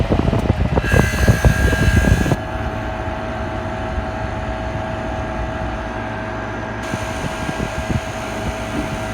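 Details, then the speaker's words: Philco Noisless 6800 BTU air conditioner from the 1960s–70s, with the compressor started while on high fan. A brief rough surge settles into a smooth, steady hum. It blows ice cold with a full refrigerant charge, so normal compressor start and run. "Here's high fan. And let's start up the compressor now."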